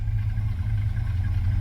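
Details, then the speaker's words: 1979 GMC C15 pickup just after a cold start. It has oil pressure and is charging. Deep, steady low rumble at idle with no ticking or valve-train clatter whatsoever. Normal idle. "I mean, I know I put gas down the car, but this thing fired right up. Okay, we must have oil pressure. It's charging. I don't hear any valve train clatter whatsoever."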